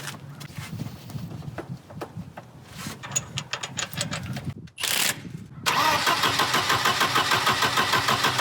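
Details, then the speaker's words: Volvo 240 after timing belt replacement: starter spins engine steadily about three turns a second but it never fires; crank no start. "well we're gonna have to hunt the New START issue now"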